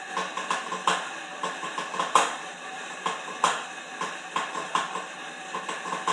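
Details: Horizon M4 exercise bike in use: sharp metallic clanks repeating through each stroke, loudest hit about every 1.3 seconds; owner unsure of the cause.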